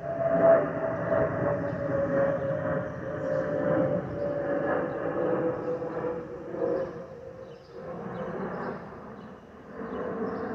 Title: Delta Airlines Airbus A319-114 N354NB DL673 JFK-DTW (FOPP whistling sound)